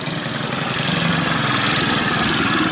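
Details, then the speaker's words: Stihl KM130 two-stroke, tested before a leak check. It holds a steady, even buzzing idle with no surging or sputter: normal idle, running perfect. "all right so it's actually running perfect right"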